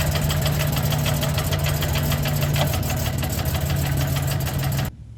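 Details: Jeep 4.0L engine at steady idle: fast, loosely regular light knock about three per second over the engine note; knock of unknown origin.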